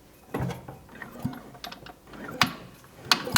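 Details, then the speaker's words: Piaggio Ape 50 with the engine turned by hand, noisy when declutched: about five sharp, uneven clacks. The hand kickstarter cable was too short, so the kickstarter couldn't return; freeing it removed the noise. "das war das Geräusch. Und rückwärts ist natürlich nicht gegangen, weil es versucht hat, den Kickstarter zurückzudrücken. Aber das Seil hier war ein bisschen zu kurz und dann hat der Kickstarter nicht zurück können. Und dann hat es das Geräusch gemacht."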